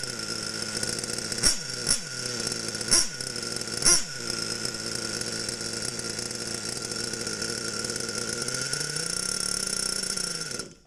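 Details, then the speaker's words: Losi Aftershock nitro RC, warm engine after leaning adjustments: high buzzy idle holds steady, briefly climbs as the fuel line is pinched, then cuts out quickly and cleanly; well-tuned engine. "it turns off nice and quick"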